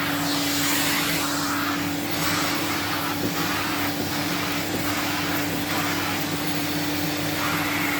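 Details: 1979 Electrolux Z96 cylinder vacuum, floor head on carpet: steady droning motor hum, rushing air and low fixed tone, slightly bogged as head drags; labouring, owner suspects it needs suction control/air release.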